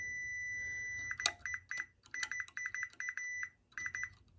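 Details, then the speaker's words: Chevrolet Tahoe with a P0300 misfire code, probing the driver's side coil pack harness pins: short, high, clean beeps in quick bursts as each pin is probed, so the wires are good. "okay and that is how you test to make sure all of your wires are good on your coil rack I guess this is a coil rack that's what I would call it"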